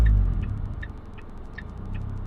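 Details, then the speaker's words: Ford Fiesta ST150 after fixing a split PCV hose behind the intake manifold, which had caused a sticky idle hanging around 1,000–1,500 rpm, warming up; low steady rumble at a calm idle with no hunting and a faint tick. "the idle seems fine at the moment it's just warming up"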